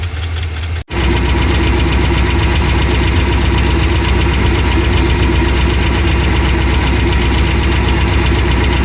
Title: 7.3L Godzilla lifter failure - ticking and knocking noise